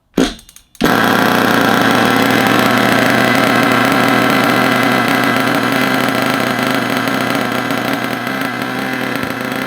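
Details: HPI Savage 25 nitro monster truck, primed and started: buzzy, high-pitched engine fires and settles into a steady, even run; running properly.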